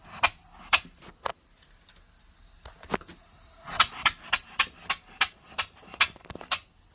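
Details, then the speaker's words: 3-inch Fowler steam engine running on air after repairing a cylinder leak through to the exhaust with Araldite: crisp, evenly spaced exhaust chuffs with no hiss between strokes; even exhaust beat, much cleaner than before. "That sounded lovely. Much much better. Much cleaner beat."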